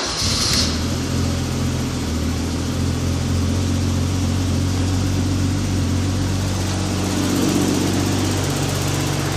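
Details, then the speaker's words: 1987 BMW E24 Dinan turbo M6 idling after a month in storage, steady smooth idle with faint light lifter ticking, said to be common on these engines; owner thinks adjusting valve lash would cure it. "Do hear the lifters clicking a little bit. It is common on these engines. I think you can do what's called lashing them on the valves, and it should get rid of that clicking noise."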